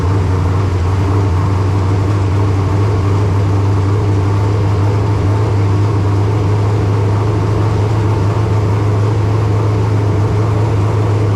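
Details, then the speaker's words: Race car engine, first start of the season after new install: deep, steady, fast idle with a strong low drone that never settles; idling high, exact rpm unknown as no tachometer fitted. "it's idled up a little bit thing was I don't have a tack so I don't know exactly how many RPMs it was turning"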